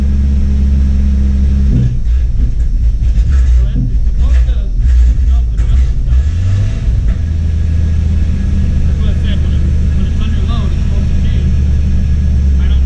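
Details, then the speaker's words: Jeep Cherokee being revived, throttle floored: low, uneven rumble stumbles and sags instead of picking up; bogging under load, owner suspects ignition timing is off, not confirmed; later wouldn't idle. "she sounds like she's off like like the it sounds like the timing's off anytime i try to put it under a"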